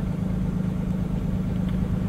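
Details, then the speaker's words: 2020 Freightliner M2 bus parked in neutral with the parking brake on, during a scan-tool forced DPF regen; it fast-idles at about 1050 rpm to build heat; smooth, even diesel hum at a raised constant speed, no knocks; normal. "it uh will fast idle about 1050 RPMs that is perfectly normal that is required for the regen process because it has to work hard to get hot"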